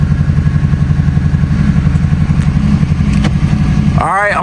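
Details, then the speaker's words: Mercury Grand Marquis 4.6L V8 idling after replacement of a leaking intake manifold, warming toward operating temperature. The idle is smooth and even with no knocks or misses, with a brief squeak near the end. "And we'll see what we got. Man, that thing purring LIKE A KITTEN."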